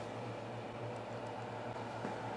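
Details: Xerox Alto's Diablo cartridge disk drive, restored, spinning up after the cartridge is loaded: an even low motor hum with a soft airy whirr and no scraping or ticking. It spins up normally.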